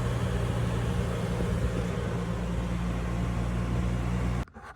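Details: EZGO TXT golf cart with a 298cc engine after a new carburetor, fuel pump, filters, spark plugs, oil and belt, fixing a no-start: a smooth, steady low hum with no knocks, then a clean shutdown.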